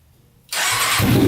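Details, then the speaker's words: Custom Yamaha Banshee with swapped Suzuki Katana 600cc engine, Stage 4 jet kit, after throttle fix and choke off: starts at once into steady, even idle without revving up or surging; pilot jets working. "that to me sounds a lot better doesn't rev up at start up it uh stays nice and consistent throughout so obviously the pilot jets are working"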